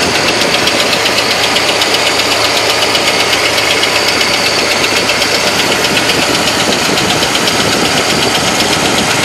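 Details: 1970 Malibu with a small-block Chevy 350 V8 at idle: a hard, sharp rap about four times a second, like a screwdriver handle striking the engine. The source of the loud knock is still being located.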